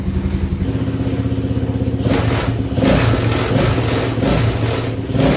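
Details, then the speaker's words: Honda XR80 engine in a homemade shifter kart, first start-up after revival; fires up and settles into a quick even patter, picks up crisply on throttle, runs like a top; owner notes a small squeak in the head and needs oil. "Oh my gosh, dude. Thing runs like a top."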